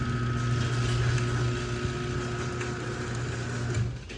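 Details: LiftMaster garage door opener during remote programming: steady low motor hum with a faint high whine, even for about four seconds, then fades; opener running normally.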